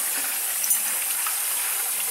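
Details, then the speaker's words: Boiler with replaced tankless coil, after clearing a clogged fitting: steady, even rush of water through the pipes with no gurgling or air knocks; flow is restored where there was none before. "yeah we're getting a flow now we could hear it yeah yeah we weren't getting that"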